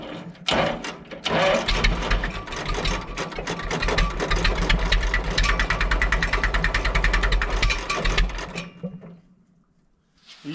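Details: Super W6TA diesel tractor cold start, antifreeze checked and fuel turned on: about eight seconds of steady chugging cranking at roughly three beats per second, then quiet; normal cold cranking.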